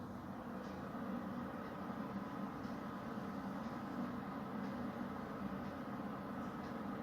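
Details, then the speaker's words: Beko HCA62541B kitchen range hood fan on minimum power: very quiet low, steady airy hum, no rattle or buzz, air felt being drawn in under the hood; fan running normally. "Bardzo cicho chodzi, nic nie rzęzi, nic nie żuźni. Czuć pod okapem jak zasysa powietrze."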